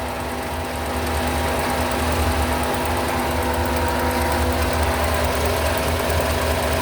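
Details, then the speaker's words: 1985 C4 Corvette idling after a no-start repair (no power to the fuel pump). Steady, smooth low rumble with no knocks, misses or hunting; normal idle. "I hope you can hear the engine good here. Idling very nice."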